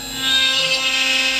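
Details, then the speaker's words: CNC router on the middle fining cut of a plaque, after stepper motor wiring repair: steady high-pitched spindle whine with even cutting hiss, no knocks or stutters; normal cutting. "Now we've started on the middle cut, which is the fining cut for the plaque."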